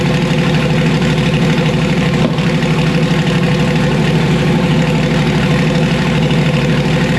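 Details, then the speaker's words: Uneven, loping idle around three pulses a second with occasional thump on a car just switched from Procharger to turbo; rough running, owner suspects two burned-out Holley coil packs, not confirmed. "okay all right well it sounds like maybe I toasted two full packs all right well these are holly coil packs"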